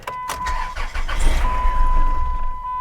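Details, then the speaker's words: Old, high-mileage salvage-auction van listed as runs and drives: engine catches and settles into an uneven, lumpy low rumble with shaky beats that makes the door bounce; it runs, but poorly, and the cause is unconfirmed. "It says it runs and drives. And it does run. But it doesn't run well."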